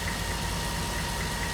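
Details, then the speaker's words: 1999 Porsche 911 Carrera 2 that sat in a garage for two years, first start on a fresh battery: busy ticking over a rough idle for about three seconds, then it runs smoothly. Cause of the tick not identified. "You hear that ticking though? It sounds awful for like 3 seconds and then starts to sound fantastic."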